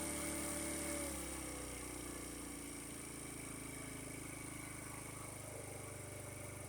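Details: 50cc Chinese two-stroke scooter, 13 miles, after draining water-contaminated fuel, new spark plug and raised idle, warming up, charging about 13.5 V: quiet even buzzing idle settling steady, no stumbling; normal idle.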